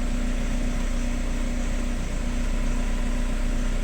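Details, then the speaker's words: VW Crafter 2012, 2.0 BiTDI twin-turbo diesel, about 270,000 km, complaint of knocking and power loss, weak battery cranking slowly: starts and idles evenly with a smooth low rumble and no audible knock; normal idle. "слабовато крутит но как бы крутит Да есть же вроде как ровно работает"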